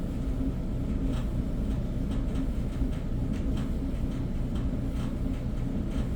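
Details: Whirlpool dryer with a broken blower wheel: constant low rumble with uneven light clacking riding over it as the drum turns.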